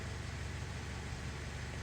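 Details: Hyundai Sonata towed in as crank-no-start, starts every time; fuel gauge reading suspect (fuel level sensor issue): low even pulsing idle, steady beat, no stumbles or knocks; normal idle.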